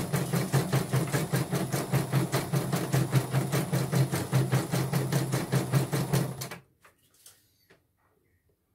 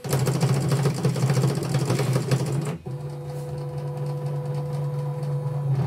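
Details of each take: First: Portable embroidery machine (came in blank screen, dead touchscreen, hoop not positioning, unable to embroider) test-stitching after mainboard replacement: even stitch clatter about two and a half per second for six seconds, then stops; normal stitching. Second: Portable embroidery machine: the carriage keeps running on by itself with a steady motor hum and does not respond, and there is no connection at all. Mainboard replacement is approved; it is unclear whether only the mainboard or the LCD too is at fault.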